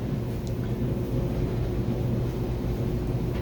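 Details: Dryer after fitting a new belt (the earlier belt was frayed and the dryer had squealed within a minute of starting): even low rumble of the drum turning with no squeal or chirp. Normal running.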